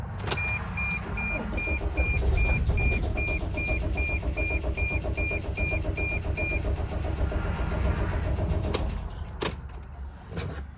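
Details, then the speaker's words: 2006 Dodge Sprinter van on jump box: starter cranks steadily about two and a half turns per second but never catches, crank no-start; crankshaft position sensor malfunction blamed. "Yeah, you see, like all of a sudden just sort of like loses like interest. It just cranks and then boom, and it sounds like a lot like when there's like no fuel."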